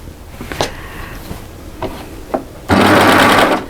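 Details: Overlocker stitching featherweight cotton voile at an angle, cutting blade not in use; motor hums in short bursts, then a steady fast stitching whirr for about a second; even and smooth, running normally.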